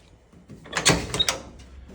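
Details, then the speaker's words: Jeep J20 Gladiator, clutch pedal pushed in the cab: lots of play before it grabs, then two or three dull clunks; clutch linkage noise, cause unknown, owner plans to lift the cab to inspect. "I'm pushing on the clutch pedal, that's quite a bit of play there before it grabs, and then there's that noise. So, not sure what that noise is, but it's something that I need to look at."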